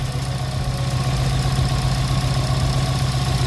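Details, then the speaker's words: Subaru WRX JDM swap engine at idle: faint regular knock about four per second persists; owner unsure whether remaining noise is damage from when the engine got hurt. "so I don't know if we still have noise it's because while the engine got hurt"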